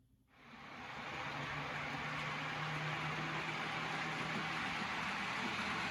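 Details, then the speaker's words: Custom Tyco Chattanooga model train tender drive, cordless motor with flywheels and Athearn gears, after tune-up for slow running; smooth even whir in reverse with steady low hum and soft hiss, no catches or clicks: normal running. "it's running just as well in reverse so there it is my custom taiko chattanooga all tuned up and ready to run"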